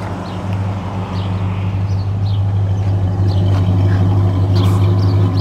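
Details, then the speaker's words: 1968 Ford Torino coupe V8 with dual exhaust: deep steady low burble at even idle, mild not loud, no misses or knocks; purrs like a kitten, healthy. "but you can see it just purves like a kitten I don't know that you could I do have dual exhaust on"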